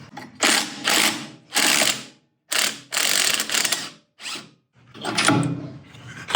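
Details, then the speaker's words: Kohler engine on a Miller Bobcat generator welder: slow irregular bursts of sharp ratcheting clicks and rattles each time it is turned over; stuck or loose magnets knocking inside the flywheel, to be glued back. "Hear that in there? To me, that sounds like we have some stuck magnets."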